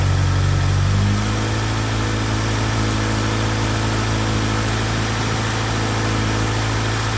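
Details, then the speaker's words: Acura Integra after head gasket replacement, restarted after rocker arms were re-checked: smooth even idle, steady low hum, no knocks or misses; runs a further two minutes with radiator coolant level settled, judged fixed. "[Music] up sounds good [Music] it's been running for about about additional 2 minutes"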